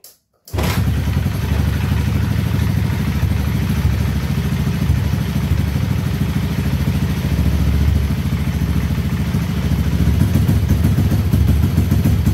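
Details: Honda Beat ESP scooter after fixing a faulty ground (mass) signal; starter tried first but battery too weak, started by kick; catches straight away, steady even low putter, no misses; normal running.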